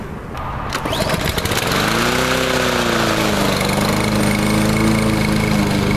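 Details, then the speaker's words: Troy-Bilt TB230 169cc 4-stroke gas mower after Sea Foam cleaning, with throttle tied up due to faulty automatic throttling: steady, even, loud high-throttle drone with no surging or stumbling; normal running. "I'll just make sure that I wear earplugs when using this cuz, of course, now it's a lot louder, but at least it runs well and everything seems to be working."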